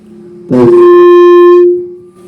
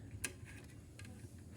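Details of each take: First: BMA SR88 wireless mic receiver after repair (capacitor replacement, added preamp module), gain turned very high: sudden loud steady howl holding about a second then fading; feedback howl at high gain. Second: BMA SR 88 wireless mic receiver after adding a preamp module on the output, powered by a 7908/8 V regulator: quiet hum with loud irregular crackles and pops. Grounding and a new preamp IC did not help.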